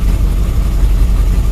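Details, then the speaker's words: Cold carbureted engine idling evenly about 5 hours after a heavy starting-fluid soak down the carb to clean out gum; low steady rumble, no surging or stumbling, still slightly flooded but runs fine. "like 5 hours later the engine's ice cold and it's even idland and okay"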